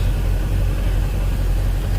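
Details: 2003 MerCruiser boat engine after no-start, fuel cleaned up: steady even low rumble, no knocks, misses or surging; fuel flow about 26.4 gal/h, fuel pump current about 8–9 amps, healthy.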